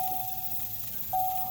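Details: 2005 Corvette that will not start: two steady mid-pitch chimes about a second apart with no cranking; owner suspects the common service column lock fault and hopes a bypass will fix it.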